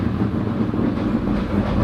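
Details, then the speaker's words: 2000 hp twin-turbo Corvette, cold start: rough lumpy idle with loose rattling clatter from the torque tube, worst at idle and clearing above 2,000 rpm; fuel and oil pressure good, no smoke, scavenge pump working. "It sounds like hell too, just because of the torque tube, so just deal with it."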